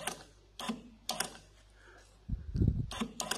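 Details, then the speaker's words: EGR valve fed power and earth directly from the battery through jumper wires: short bursts of clicking and whirring, then a duller thunk with polarity reversed; the valve motor moves freely, normal actuation. "and if you can see or not i can see it i can hear that valve's moving"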